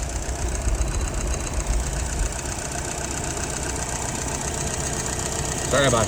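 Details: Restored, tested and adjusted YF 938SD carburetor: fires and settles into steady low idle, even rumble, no misses or knocks; slight drip, float needs resetting; normal idle.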